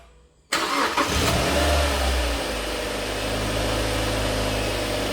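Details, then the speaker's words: Mazda MX5 mk3 2.0 started for about 10 seconds after oil and filter change (4.3 L) to fill the empty filter: catches cleanly on first crank and settles into smooth even idle, no knocks or ticks; all good. "all good. That should be enough to fill the oil filter up."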